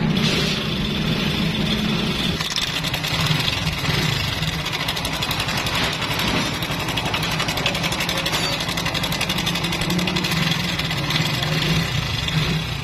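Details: Honda Pridor motorcycle single-cylinder engine at idle whose sound had changed: fast tinny metallic chatter over the idle; timing chain found very loose and to be replaced; timing chain rattle.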